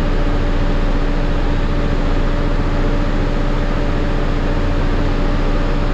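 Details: Cummins ISL9 after an in-frame rebuild for dust damage, with a retrofitted truck-style fan, at idle. A steady, even beat with constant fan whirr and no knocks or misses; it charges and has good oil pressure: a healthy engine.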